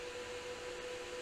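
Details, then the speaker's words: GPU cooling fans driven at 100% PWM duty cycle from an oscilloscope signal generator: steady, even airplane-like rush with a faint constant hum, no ticking or rubbing; the fans run cleanly at full speed. "here we go sounds like an airplane"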